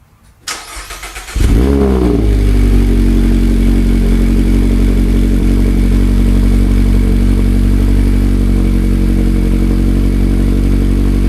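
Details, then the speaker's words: 2019 Mazda MX-5 Miata (ND), first cold start after installing a Good-Win-Racing RoadsterSport Race axle-back exhaust, not yet broken in: brief crank, then a steady, deep, throaty idle with an even beat; normal cold start. "So hopefully you could tell the difference between the stock super quiet and the Good-Win-Racing RoadsterSport Race. I definitely prefer the Race, although that's the first time starting it up."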